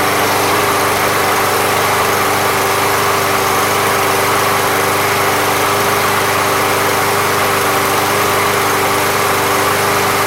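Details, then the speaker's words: Briggs and Stratton lawn mower (MTD) small single-cylinder, after Seafoam fixed fuel delivery without carb removal: runs steady and even at constant speed, no surging or misses; healthy. "we thought it might have to clean out the carburetor sometimes just by leaking it up a little bit and remember the seafoam pink stuff right out"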